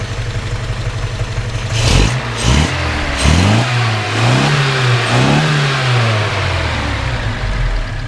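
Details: 1971 Datsun 510 wagon with upgraded L20 engine and 200SX 5-speed, warmed up: five or six crisp revs rise and fall cleanly back to a steady idle; revs freely and sounds healthy.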